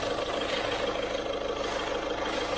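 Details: 2012 car at steady idle: thin hissing whistle over the engine, owner thought it was turbo noise for about a week and a half; actually a torn exhaust manifold gasket leaking.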